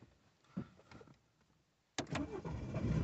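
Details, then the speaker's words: BMW 116i petrol parked 1.5 years after breaking down, with booster pack connected, codes cleared and fuel rail pressure released: quiet, a few clicks, a brief crank, then it catches and runs up to a slightly unsteady, jumpy idle. "Would you look at that? Start it up. A little bit jumpy."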